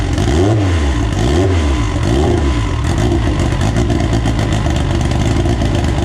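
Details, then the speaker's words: AWD EG turbo build first start on a borrowed 2000cc-injector tune: two quick blips rising and falling cleanly, then even idle with no knock or rattle; good oil pressure, revs freely, sounds healthy. "it seems to run pretty good it's got good oil pressure uh it sounds really really healthy uh really peppy revs up really really nice"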